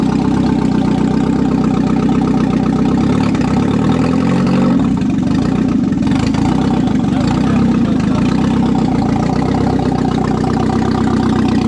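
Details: 1997 Audi A4 (B5) on first startup after an engine install: even, steady idle with a deep open-exhaust drone and one brief throttle blip. It idles smoothly, though the owner noted it didn't like to accelerate.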